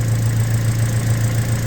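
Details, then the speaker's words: Toyota Tacoma 2.7L after reconnecting the air line to the bottom of the intake that caused a massive vacuum leak: smooth, even idle with no stumbling or hissing; a fuel leak around an injector remains. "Sounds like it's supposed to sound."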